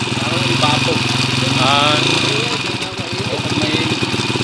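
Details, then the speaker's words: Honda TMX155 motorcycle at idle, noisy despite four mechanics and two timing gear replacements, also hiccuping: loud, clattery idle with rough mechanical rattle over the exhaust beat. "Okay mga sir mga kabro yun po yung andar niya maingay mga kaabo so bale aapat na daw na mekaniko ang gumawa dito at puro cylinder head lang hanggang black ang binabaklas nila dito kaya dalawang beses na rin daw sila nagpalit ng timing gear yan"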